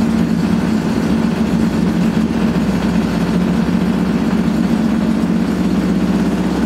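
A loud, steady, rough roar with a low droning hum through the whole spin points to badly worn drum bearings.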